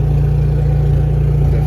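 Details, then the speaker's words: Two-wire-start generator feeding a Victron system charging EG4 batteries as it switches to bulk: low steady drone as load ramps up, no surging, hunting or knocking; healthy under load. "now we go to bulk and you hear the generator load being slowly applied it just doesn't it slowly ramps up the current as you can hear in the generator slowly adding"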